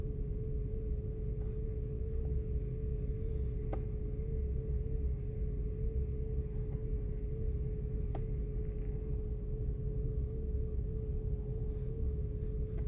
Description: 2005 year Audi A8 6.0 W12 - Misfiring in Bank 1 and Bank 2 (1,2,3,4,6 cylinders) and giving error codes related to both Sensors 1 (pre-cat sensors) in bank1 and bank 2.